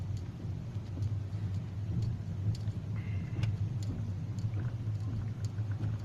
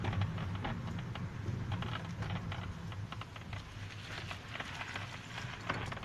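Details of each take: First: Hyundai i40 cabin while driving, two days after dashboard rattle fix by gluing the panel under the windshield: steady low road rumble with no crackle or creak; dash now quiet. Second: Hyundai i40 driving: irregular sharp crackles and ticks over low road rumble from the upper front dash panel under the windshield, which is loose and creaking.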